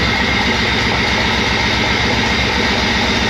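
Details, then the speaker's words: Jeep XJ just after start-up: uneven, lumpy idle with ticking as lifters pump up and bleed off; not making compression on all cylinders, owner suspects bad gas in the rail and lines; later cleaned up. "Hear how the lifter's gotta like pump up and bleed off and all that? It ain't making compression on all the cylinders."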